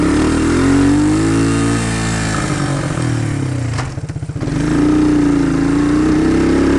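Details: 1999 Suzuki Quad Runner ATV: engine pulls steady, then the revs sag into a low choppy stumble under load and uphill before recovering; first suspected of flooding, the bogging turned out to be a misadjusted carburettor float.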